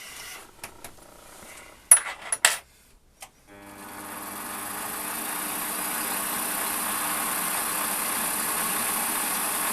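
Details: Warco lathe facing a cast-iron block in the four-jaw chuck after resetting tool to centre height: clatter settles into a steady even whir with faint constant tone, no chatter; clean, very smooth facing cut.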